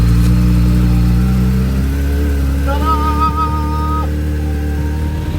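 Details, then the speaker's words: Suzuki Bandit 600 four-cylinder, first start in days, recorded on phone mic: lumpy, hunting idle with a small pitch drop as choke comes off, nearly warm; owner suspects carb balancing and pilot screw need tweaking. "it's running a little bit lumpy choke is now fully off it's nearly up to temperature it's still hunting a little bit"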